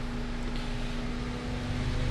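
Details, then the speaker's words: 2019 Mercedes-Benz C300 (also called 2016 C-Class), codes P048300/U062387: steady heavy low roar of the radiator fan stuck at full speed over idle, running about 80% even with car off and 100% once started. "ये आप देख रहे हैं अभी और ज़्यादा full speed में काम करने लग पड़ा। पहले जब गाड़ी बंद करते हैं तो थोड़ी सी स्पीड कम होती है, समझ लें कि 80% तक आता है।"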